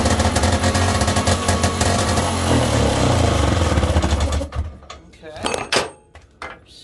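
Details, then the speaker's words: 1971 Johnson Skee Horse 30 hp outboard, first runs after long storage and restoration: crisp two-stroke crackle, a little ragged, then cuts out; owner suspects an air leak, then notes fuel draining back to the tank, no fuel in primer line. Rough running. "well she's a runner all right an air leak though not oh it's the gas is going back into the tank for some odd reason because i have no juice for the primer line"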